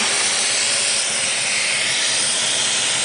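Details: 1985 Mercedes-Benz 380SL at idle: loud, steady, high-pitched hiss from a major vacuum leak at the rear driver's side of the fuel distributor, apparently under the air metering manifold. Cause unknown.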